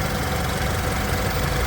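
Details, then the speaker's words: 2016 BMW 228i M Sport xDrive, 48,229 miles, 2.0L turbocharged four-cylinder with ZF 8-speed, heard in the engine bay at idle; smooth, even low hum, no knocks or misses; healthy normal idle. "You can hear it idling very happily here."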